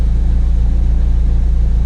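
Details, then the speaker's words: Track-prepared Ford Focus ST170 (GSXR ITBs, ME221 ECU) idling right after its first start since being parked, on a battery charged about an hour; it only just fired. A smooth, even low rumble with a steady quick pulse and no knocks or misses. Normal idle. "I'm amazed that hasn't been started in, well, since I parked it up after Castle. Oh, she's purring like a kitten."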